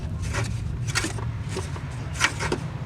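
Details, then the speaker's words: Autocross car's radiator fan after reinstallation: a dry rub about every half second over a low hum as the fan turns; the blade is catching, not spinning freely. Owner suspects he forgot to refit washers. "It shouldn't make that sound. It should spin freely. I think the problem is that I forgot to put these washers back on."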